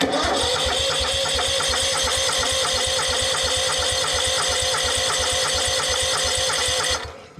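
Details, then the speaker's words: Exmark Yazoo Kees ZT Max 42" zero turn with a Kawasaki engine, new starter, on a jumper battery, cranking to purge air from the fuel system: brisk, even cranking for about seven seconds without firing. Starter healthy; owner suspects a tired fuel pump. "there okay so that's making me wonder if my fuel pump might be getting tired but um the new starter sounds pretty good"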